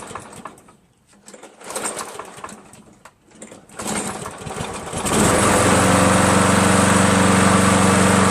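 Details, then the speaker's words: Free green Craftsman 7HP self-propelled mower: several weak sputtering tries, then it catches into a fast steady drone; slow to start. Valves lapped twice, keyway checked, carb cleaned thrice and replaced; owner suspects weak gas, spark or carburetor, unconfirmed. "well there it is so you guys can maybe help me try to figure out what's wrong with that I mean it seems like maybe the gas just isn't strong enough or the spark isn't good enough to start or it's got to be a carburetor problem right"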